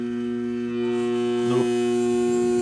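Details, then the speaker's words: 1971 Philco Ford Noiseless 11,000 BTU air conditioner with TXV upgrade and hard start kit, restarted after being left off a while: loud steady electrical compressor hum for two seconds, then a thump and cutoff; compressor struggling to start, cause unconfirmed. "i have to let it off for a while before i can start it up again so we're gonna watch it make a wire on me and actually start up"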